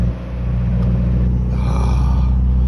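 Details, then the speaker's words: Car stuck at 2,000 RPM while driving home: the engine drone holds one raised, even speed and never settles. The throttle body screw had vibrated loose from a failing engine mount shaking the car, keeping the revs high. "First victim of the engine mount vibrating the car to death. The screw on the throttle body had unscrewed itself with the vibrations."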